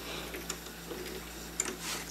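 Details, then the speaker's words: 1930s Paces Races horse racing payout slot machine after straightening its bent drive shaft and installing the new shaft with gears: light soft ticking from the mechanism, no knocks or scraping, the shaft spinning nice and true. "is spinning nice and true."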